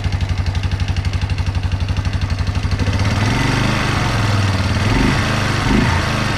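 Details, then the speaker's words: 1997 Yamaha Big Bear quad, single-cylinder, warmed up at idle then revving: light, regular ticking about four per second, blurring as revs rise; owner suspects valves needing adjustment or stretched cam chain beyond its automatic adjuster. Top-end tapping, unconfirmed. "I don't know if it's valves need to be adjusted or it might be the it might be the cam chain. It's got an automatic adjuster on there, but maybe the chain stretched so far it's not working as it should, but it's not real loud, but it makes a little bit of noise."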